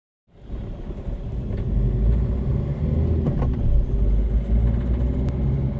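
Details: 2013 Citroen C3 Picasso diesel, 65,000 km: rumble rising under throttle with sharp ticking/clacking clacks only on acceleration, not when shifting or cruising; sounds gurgling; also stalls on morning starts. Cause not confirmed.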